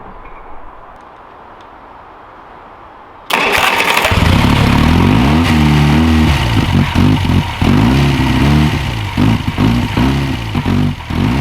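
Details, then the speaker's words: 1969 Reliant Regal 850cc engine on bench test: uneven, lumpy idle with irregular dips, as if running on three cylinders. Rough idle. "it's not smooth it's like it's running on three cylinders or something yeah we could try messing with that mixture"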